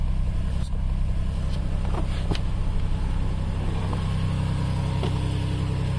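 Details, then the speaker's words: 2007 Toyota Highlander Hybrid forced into maintenance mode so the gasoline engine runs continuously: steady, even low idle hum with no misses or knocks; normal idle. "See the motor start? It won't stop because it's in the maintenance mode."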